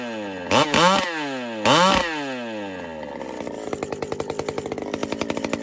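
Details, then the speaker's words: Pioneer P-41 chainsaw with big bore kit (P-74), after repair, H jet leaned slightly because it ran a little rich: two clean rev-ups dropping back smoothly, then a steady popping idle with no bog. Runs healthy. "I'm gonna fire up one more time it's running a little Rich so I'm gonna squeak in the hijet just a tad just a little but just listen to this people"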